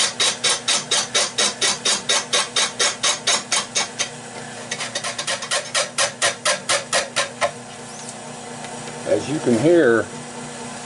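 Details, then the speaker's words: Lathe turning a warped catalpa bowl blank: crisp rhythmic cutting ticks about twice a second as gouge catches only high spots; spots still untouched, blank still out of round but getting closer. Intermittent cut. "wow there's still spots on here i'm not even touching yet she's way out but it's getting closer"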